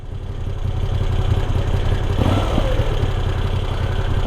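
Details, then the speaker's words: Moto Guzzi V85TT air-cooled twin, about 2,500 miles, hot day, just started at idle: lumpy, slightly uneven idle that hunts, with light valve tick; normal air-cooled character, nothing wrong. "It kind of hunts for idle and you hear that valve noise and that's just all part of the the air cooled engine character and vibe."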